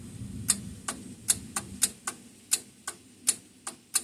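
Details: Old single-cylinder Onan 3.0AJ-1R RV generator, generator head doubling as starter: rapid sharp metallic clicks about two per second, no cranking; starter solenoid chattering without crank. Owner doubts battery is enough.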